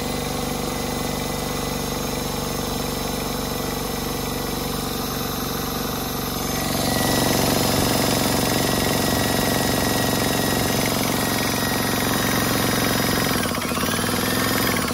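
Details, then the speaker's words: DeWalt D55146 1.6 hp 5.0 SCFM air compressor after belt replacement, run partly disassembled: even fast pumping thrum that steadies then winds down cleanly at shutoff; normal running, small air leak noted somewhere. "Okay, sounds good. I have a little bit of an air leak somewhere."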